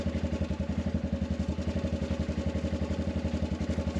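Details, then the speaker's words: Arctic Cat 500 ATV in near 0 °F cold, after a no-crank problem with a weak battery (200 CCA, 34% health): steady, even idle with a quick regular firing beat, no knocks or misses. "you hear the ATV running"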